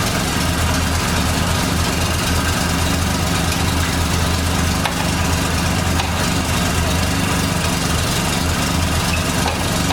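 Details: 1989 Dodge Daytona ES salvage-yard car: steady, even idle with a faint high whine over the engine, noted as power steering whining.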